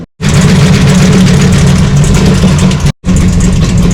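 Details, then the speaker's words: 1966 Plymouth Satellite 426 Hemi 4-speed, cold start in a cool shop with a new coil and no choke: loud, lumpy, slightly uneven idle that briefly stalls; a tinny rattle at the front heard while warming up. "Now I haven't started it since yesterday, so it's cold. The engine's cold. Kind of cool in here in the shop. So that's why you hear it start. It's kind of not happy. I don't have a choke on it."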